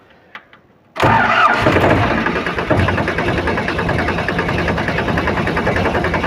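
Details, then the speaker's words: Powertrac 42 Plus (~44 hp) tractor diesel labours and jerks as if under heavy load because the hydraulics lift on their own at start even with the lever down. The spool valve is stuck from dust. "जैसे जिस तरह से एकदम से hard work में tractor चलता है load में उस तरह से इसका इंजन दबता है"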